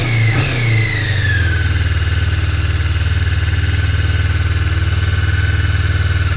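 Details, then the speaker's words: Honda CB 500 (499cc) twin, first start after six months' winter storage at about 10°C on full choke: steady even idle with fast regular pulse, high choke note easing down; runs pretty well, normal cold idle. "it runs pretty well"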